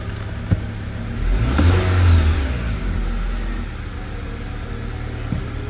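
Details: 2009 Acura TSX after new ignition coil fitted on cylinder 2 (P0302 misfire, flashing check engine light): engine catches cleanly, revs up smoothly and settles to an even, steady idle with no stumble; misfire fixed.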